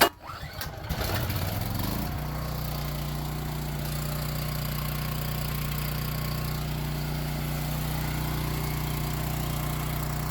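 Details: Power Stroke 6000 W generator, 389 cc, roadside find after carburetor cleaned and fuel filter replaced: starts on the first pull, brief rough catch, then steady even run with no misses or knocks; normal start.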